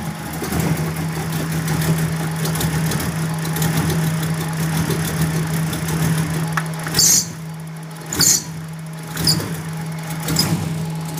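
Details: 1994 Ford Mustang idling with a steady hum but wavering, stumbling uneven beat and a few sharp noises late on; rough idle, cause unclear.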